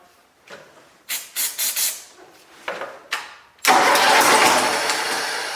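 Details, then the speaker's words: Cub Cadet Super 2082 riding mower engine, sat at least two years, started on its old fuel with starter fluid, air cleaner off, choked; several short cranking bursts then catches and runs steady; starts and runs. "so once choke every time you start it but it starts and runs"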